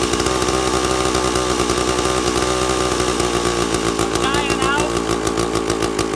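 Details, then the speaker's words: Two-stroke chainsaw with impulse-diaphragm carburetor, idle and low jet already set: screaming at full no-load revs while the high-speed (H) jet is turned from lean toward slightly rich, the note wavering as it settles into a rich burble. "make the high so it's a little bit thick a little bit rich and you'll hear it as I tuned it here"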